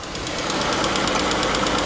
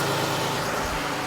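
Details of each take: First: 2015 Jeep Grand Cherokee, 3.6L Pentastar, 75,000 miles, at idle: light quick tick about three a second over a steady idle, louder on the microphone than in person; worn rocker arms and camshaft, replaced with new rocker arms and one camshaft. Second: Jeep Grand Cherokee 3.6 L Pentastar after rocker arm and camshaft replacement: a short, steady, even idle with only a faint injector patter; the previous ticking noise is gone.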